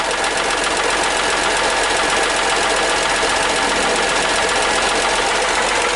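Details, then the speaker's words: Hyundai Matrix 1.5 CRDI diesel just after replacing hydraulic lifters: rattly idle with light metallic tapping about two a second while new lifters bleed and fill with oil. Hydraulic lifter tick after replacement. "прокачивается 1 но даже идем ребят сразу слушаем чтобы звук мотора при вас как-то выравнялся девять ребят вы слышите металлический стол к стоит"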